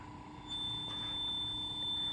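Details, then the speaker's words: Teac 355 cassette player with replaced belts, playing a 3,000 Hz test tone: the tone sits sharp at about 3,500 Hz, so playback runs too fast; no way to adjust the speed has been found. "But I also need help actually because the um player is playing a lot faster than it should be. It's playing at about 3,500 hertz when it should be at 3,000."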